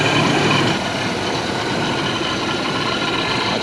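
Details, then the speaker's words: First start of stock 4.8 Silverado after Procharger install with bigger injectors and boost timing tune; fuel spilled into cylinders when injectors were pulled gives a mist, brief rough running then evens out to smooth idle, no miss or knock. "Turn the key, fire it up, see if it starts. If I did everything right, we should be good."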